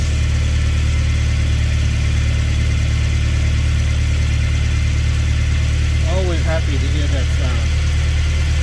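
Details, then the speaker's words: Toyota Previa/Tarago/Estima (TCR, 1990-1999) first start after new cylinder head gasket, timing set; smooth steady low idle with even beat, no misses, ticking or hiss; running normally. "otherwise smooth you see beautiful beautiful running engine so nice"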